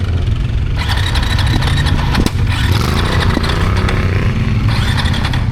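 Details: KTM 690 Euro 5 single after stalling several times within 5–10 seconds, here from releasing the clutch in too high a gear: loud, uneven churning with pops and rattles that never becomes a running beat; owner suspects near-zero intake valve clearance, spec 0.12–0.15 mm.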